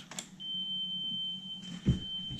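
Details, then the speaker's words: 1993 Sony TC-K611S three-head cassette deck after new drive belts, playing a 3 kHz test tape for capstan speed adjustment: a clean, steady tone with no flutter, measured at 3.09 kHz on an oscilloscope. "so that's the three kilohertz being played and what I'm going to do is send the output to my oscilloscope"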